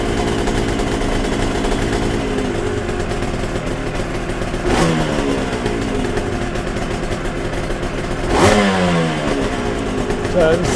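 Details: Yamaha TZR 250 3XV two-stroke twin started after carburettor idle and air screw balancing; crisp, even idle with two clean throttle blips settling back smoothly; balanced and healthy.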